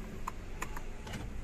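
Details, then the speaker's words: Mercedes C63 AMG with its original key inserted: a few quick, light clicks and a short whir in a quiet cabin as the steering lock recognizes the key and retracts, freeing the wheel; normal release. "ó tá vendo trava reconheceu a chave recolheu volante está liberado"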